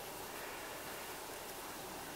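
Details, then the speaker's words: Double-row ball bearing from a Biax scraper, cleaned and flushed with paraffin, spun by hand: a soft, even hiss with no grinding, clicks or roughness. Free-spinning, healthy bearing with no play or wear. "And you can see and hear that that's very free spinning. This is a, this particular one is a double row ball race."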